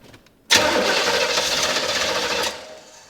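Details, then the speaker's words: Corvette fitted with a temporary Ford Mustang fuel pump and new fuel after water in the system; about two seconds of harsh cranking that never fires. Injectors have power; clogged injector suspected. "Injector's clogged. Something's not working, that's for sure. Maybe the injector's clogged, I don't know."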